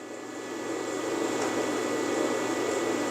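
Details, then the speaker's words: Cheap MIG welder cooling fan, earlier dragging and sluggish after under two hours' use: smooth, steady airy hum at even speed; fan running normally. "But I can't say that I noticed it on when the fan was sluggish. That fan's just humming along."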